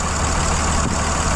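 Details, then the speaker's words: Dodge 2500 5.9 Cummins with about 350,000 miles on its original CP3 pump, which starts hard after sitting overnight. It fires after key cycling following a starter replacement and settles into a steady, even low clatter with no misses: normal diesel idle. "There we go. Runs just like a Dodge, man. Great truck."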